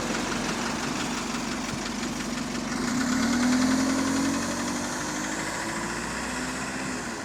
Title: Engine Rod Knock, Lost Door Buzzer | GAL SE101 On Bus Route 469 (3)